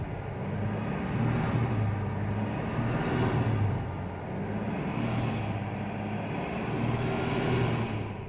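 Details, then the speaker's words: 1979 Ford F150 V8 with carburetor, first start after rebuild, timing set: a smooth, even V8 burble at fast idle, rising and settling gently with no knocks or misses; it sounds healthy. "took a little bit to get it started there mostly just getting the the fuel primed up in the carburetor and then set the timing and then after that it was good to go"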